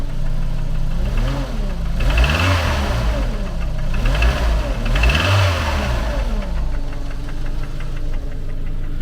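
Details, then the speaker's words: Engine now holding its idle after a breather fix: a light regular single tap through slow speed rises and falls. One valve is suspected, unconfirmed, and the noise is being monitored. "Mais c'est vrai qu'on l'entend ce fameux tac. Mais il y en a qu'un. Alors, soit c'est qu'une soupape, mais alors laquelle ? J'en sais rien."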